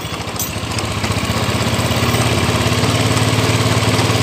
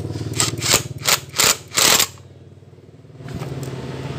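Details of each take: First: Honda Scoopy scooter that judders and vibrates when riding, idling with the CVT cover opened: a harsh, fast pulsing rattle from the rear (driven) pulley, very severe. CVT clutch judder. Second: Honda Scoopy scooter after freeing a stuck drive pulley and refitting it: engine settles into a steady, even idle after a few loud clattering bursts; no rattle from the drive.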